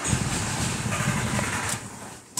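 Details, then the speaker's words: 1995 VW T4 with ACU engine, coolant sensor signal faked at about 40 °C with an adjustable resistor: a brief, labored catch that fades instead of idling, then clicks; hard to restart once warm after stumbling, known stalling-when-warm fault, cause still suspected. "also wie gesagt wenn der sich eben mal verschluckt hat also immer da diese Temperatur bekommen hat dann kriegt man den noch nicht so ohne weiteres wieder an"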